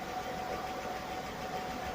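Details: Petrol engine just refitted to its car idles evenly with a faint steady whine and no knocking at all, after the earlier knock was cured.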